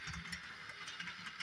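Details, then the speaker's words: Repaired Bachmann Doodlebug model train running: a quiet whir broken by quick, regular clicks about four or five a second as it crawls; something in the drive seems to catch, and it then stalls. Cause not confirmed. "okay where's going you can hear it clicking"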